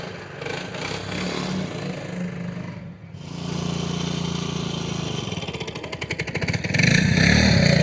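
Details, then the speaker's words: 1963 Honda Sport 50 (CA110) after tuning, still not fully dialed in: the small single starts right up and buzzes along steadily, picking up cleanly through the revs with no misses or knocks; running normally. "This thing still needs kind of dialed in, but it is starting right up running amazing."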